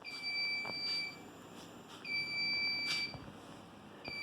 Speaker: Um, you can probably hear that beeping. Um, I heard it all the way upstairs in my office.